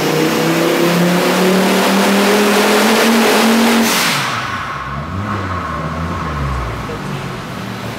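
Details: Volvo 850 turbo with 19T turbo on the dyno under load: rising drone then revs fall away abruptly; suspected misfire, ran lean at the end, never shows up on the street.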